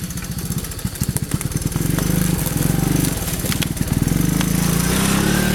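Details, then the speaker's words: 1982 Honda 185S three-wheeler, single-cylinder, after carburetor adjustment and Marvel Mystery Oil: thump stutters just off idle then smooths at higher revs; slight miss off idle, improving with riding, cause unconfirmed. "And I adjusted the carburetor, and it got a lot better. And it's just got barely a little bit of miss right off of idle."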